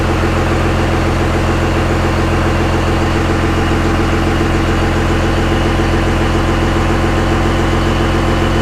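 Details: Jeep with 6BT Cummins diesel swap, alternator now charging: deep, steady diesel clatter at idle, even beat with no misses or knocks; running healthy.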